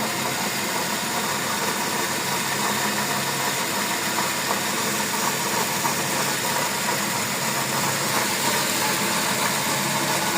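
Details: 2020 Nissan Almera CVT automatic, in limp mode after an oil change outside the dealer: steady drone with faint constant hum from worn transmission bearings while running.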